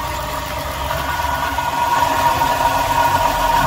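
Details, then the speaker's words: Dodge Durango HEMI idling: steady growl with a whining tone near 1 kHz from the belt-driven accessories; customer had the alternator replaced, but the noise isn't the alternator, so the car was misdiagnosed. "I don't feel growling coming from this thing. I can sense it's coming from here. Somebody misdiagnosed this car."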